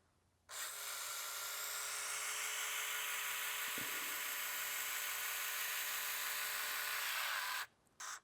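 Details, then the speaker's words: Porsche 911 3.2 Carrera power side mirror motor wired directly to 12 volts after a shop's bad wiring splices were found; steady even high buzz then stops at travel limit; motor works normally. "just connecting this mirror directly to 12 volts see if we get any movement okay there's a little bit on this one I don't know if you can hear that moving"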